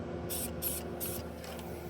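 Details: Car AC line with a gash found during a planned compressor and condenser swap: sharp bursts of airy hiss, a few per second, over a quiet shop background; refrigerant escaping through the split line.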